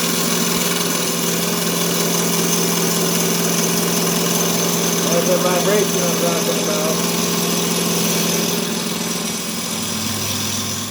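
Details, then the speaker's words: Wood lathe turning a punky cherry burl: steady motor hum with rough buzz and vibration starting at the same spot, a set distance from the headstock, in either direction; owner suspects the bearings and plans to replace them. "right there I mean does it the same spot don't matter which way I'm going so roughly this far away from the head and it starts vibrating"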